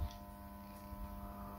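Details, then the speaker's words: Ideal Mini HE24 boiler switched on, diverter valve actuator moving: steady electrical buzz with a low hum and no turning rhythm from the circulating pump, which is powered but seized and not running. "the diaper valve making are moving actuator and now you can hear a buzzing noise to me that Sound it's coming from the pump"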